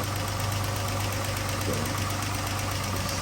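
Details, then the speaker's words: 2012 Chrysler 300 3.6L before repair: fast light ticking over steady idle, keeping pace with engine speed; likely a failed rocker follower roller bearing. "Now, it can be the actual rocker follower with the little bearing that gives out, which is what I see most of."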